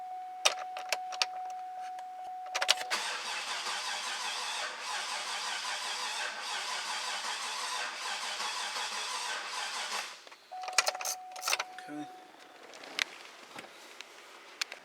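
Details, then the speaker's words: 2008 Cadillac Escalade 6.2-litre, runs rough with high crankcase pressure after rebuild: starter cranks about seven seconds with uneven lumpy rhythm, cylinder eight showing abnormally high compression from water in the cylinder, draining the battery. "being that that one cylinder goes all the way up to sig it takes out a lot of juice a lot of a lot of power out of the battery"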